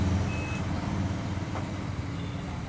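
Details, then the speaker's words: Amplifier that bangs and blows its rear fuse at switch-on: with all connections removed, the multimeter gives a brief high beep when probing the filter capacitor, showing a dead short in the capacitor. "पूरा connection निकाल देने के बाद हम capacitor को touch करते हैं तो हमें बीप की आवाज़ सुनाई देती है।"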